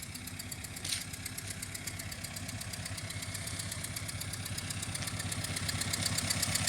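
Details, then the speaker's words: Deliberately created engine-timed noise, located with a scope using an ignition trigger: sharp, regular ticking about four per second over a quiet idle, locked to engine speed. Knock from cylinder three. "in this case obviously I created a noise it was an engine time noise that uh we determined with cylinder three and you heard that at the beginning when the engine was running"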